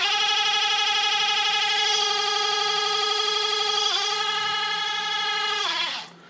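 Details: Bosch auxiliary electric coolant pump from a T1N Mercedes Sprinter, removed and bench-run on a 9-volt battery: steady high-pitched electric hum with a faint rapid warble, running evenly, then winding down; the pump motor runs normally.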